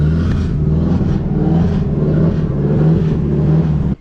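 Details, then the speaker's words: Nissan S13 drift car with SR20DET, just started after sitting all winter on a Miata jump battery: uneven, lumpy idle, hunting and stumbling; rough running blamed on the MAF, sounding much better once a borrowed MAF was fitted. "a little rough, so we're gonna try and throw another MAF on it, which means we might have to pull the MAF off of Fran's car."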